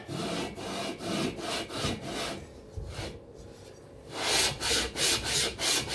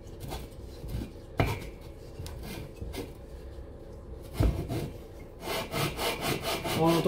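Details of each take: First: Cox 1600 engine, second lapping pass with fine paste, barrel onto aluminium head (no gasket): even back-and-forth rubbing about three strokes a second, no grabbing or catching; only rubbing now, mating surfaces lapped flat. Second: Cox 1600 engine, lapping cylinder barrel onto head (no gasket between them) with coarse paste on cylinder 2: gritty rasping strokes with sharp intermittent catches and grabs; barrel and head seats still have high spots, not yet flat.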